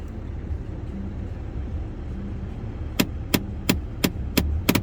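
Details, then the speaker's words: Land Rover Discovery 4 cabin, recirculation mode selected: six sharp clicks about three a second over quiet hum as the heater flap servo motor jams; the newly fitted cabin filter was installed slightly wrong and the flap catches on it. "И получается, у него вот видно, как заслонка цепляет. Получается, сам фильтр, и происходит заклинивание, щелкает моторчик."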